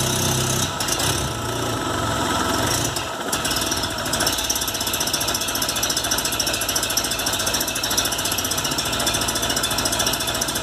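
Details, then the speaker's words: VW Golf MK3 with single-point injection misfiring at idle: the idle hunts and stumbles with an irregular, lumpy beat under a hiss, caused by a faulty idle air control actuator. "para quem estava me perguntando então como é que se fale isso que aqui ó atuador de marcha lenta o carro falhando só como vocês puderam ver a introduçã"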